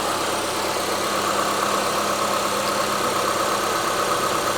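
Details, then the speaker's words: 2006 Mitsubishi Lancer ES revived after years in storage: steady, even idle with smooth hiss, no knocks, misses or surging before a charging-system test; runs better than expected, normal idle. "it does run better than I thought it would so let's do a quick little charging test"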